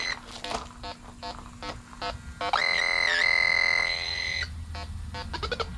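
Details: Electronic refrigerant leak detector on an aluminum HVAC coil after adding gas: slow steady ticking speeds up into fast beeping, then a shrill continuous tone as it senses refrigerant at the leak.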